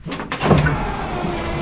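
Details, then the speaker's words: 1969 Chevelle wagon power window after a few hours of work and cleaned door jambs: short smooth motor hum as the glass goes up and down, even pitch, no grinding or binding; window working normally. "Window goes up and the window goes down."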